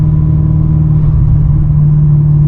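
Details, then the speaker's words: Supercharged Holden HSV Commodore (LSA), driven over a bridge on a hot day with AC on, after a fuel pump and chiller install. Steady low engine rumble with a constant whine rising slightly with revs. Normal supercharger whine. "down. Certainly whining. So this is after the fuel pump and the chiller has gone in."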